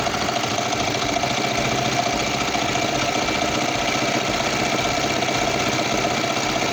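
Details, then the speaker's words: Kawasaki Vulcan 500 twin at working temperature ticks over at a steady, even idle with mid-pitched patter and no misses, warmed up and ready for carburetor synchronization after carb repair. "this we have to let the bike warm up and we'll start synchronizing it"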